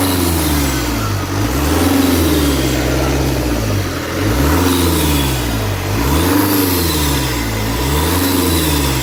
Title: If you hear this noise from the engine when accelerating, you have an intake air leak. Opel 1.9cdti